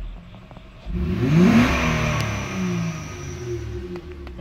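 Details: Honda Ridgeline with code P1659 and throttle not responding, revs capped below 3,000 RPM: after replacing the bad relay, engine climbs cleanly with smooth rising pitch and no stumble, revving freely.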